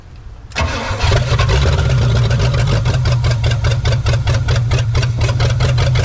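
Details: 1969 Pontiac Bonneville Safari station wagon, 428 V8, sitting since 1981, just started with starting fluid after heavy smoke: catches and settles into a lumpy, loping idle with uneven low pulses; rough idle after long storage.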